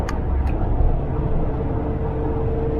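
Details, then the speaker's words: 1988 Volvo 244 after tightening the front wheel bearings and replacing the transmission mount, cruising around 80 km/h: steady mid-pitched whine over road rumble, still present at the rear end, possibly slightly better. "It's still a whine. I was wondering if it would make a difference to the whine on the back end."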